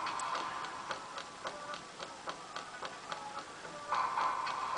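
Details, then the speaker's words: NSM Grand Performer 2 jukebox CD changer after new laser head, cleaning, gear regrease and microswitch check: light ticking about three to four per second as it selects and loads a disc; cycling smoothly, plays all tracks. "place through all the tracks with zero problems at all"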